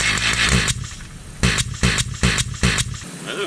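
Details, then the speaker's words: MS880 chainsaw engine with uneven puffing bursts, about two a second; it turns over too easily and isn't holding compression; the decompression valve is suspected of leaking; intermittent puffing sound. "That decom valve sounds like it's leaking. Yeah. In that video, there was that strange puff sound."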